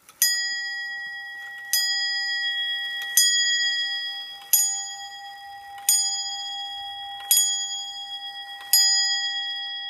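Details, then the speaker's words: 1700s antique English tall clock with moon calendar, on the testing shelf after repair, amplified: seven clean bell strikes about 1.5 seconds apart, each ringing fully; the hourly strike train works properly. "it's it is Strike every hour on the hour and you can see from the back side of it it has a moon calendar on it"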